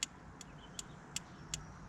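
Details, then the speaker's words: 1973 Chrysler Galant abandoned 26 years, engine stopped, ignition on, points opened with a screwdriver: sharp snapping pops about every 0.4 seconds, some much weaker; points spark only intermittently, suspected dirty, to be cleaned with file and sandpaper. "All I'm doing is using a screwdriver to open the points up. You can hear them popping."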